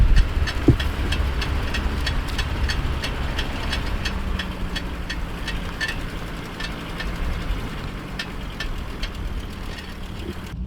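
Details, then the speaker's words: Car with rear drums creeping at low speed: light ticking clunks about twice a second over road rumble, traced to the front; rattly pad or stuck/loose caliper suspected, cleaning and freeing the caliper seemed to stop it. "that sounds like a rattly pad does this have discs in the back too no drums in the back oh yeah it's up here yeah it's definitely up here"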